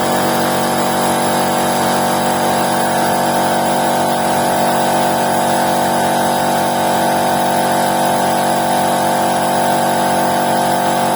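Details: Air compressor with 2.2 kW electric motor, after fixing hum-and-no-start (stuck stator winding switch relay in motor cover suspected): restarts under pressure and runs strong and even with steady hum and pump rhythm, no stalling; healthy.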